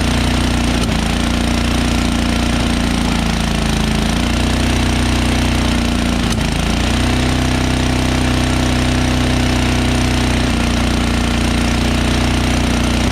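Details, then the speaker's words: Cold Tecumseh 13HP engine on an MTD Yardworks 1333 33" snowblower, first start in a couple of years after priming with choke on; fast drone with brief stumbles, almost stalled when choke moved to run, needs warm-up, idle a little high. "when i just turned the choke from choke to run i just did it one swipe and it almost stalled so it needs some time to warm up a little before i can take it all the way to run because i haven't run in such a long time"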